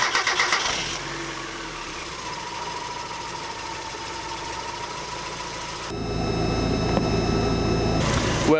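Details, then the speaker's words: Turbo Miata after installing a budget 340LPH high-flow fuel pump: no audible prime at key-on, then a brief crank, catching within one or two turns and settling into an even idle with clean revs. The pump is slightly louder. Normal start. "started right up as a bit word I couldn't hear the pump when I turn the key"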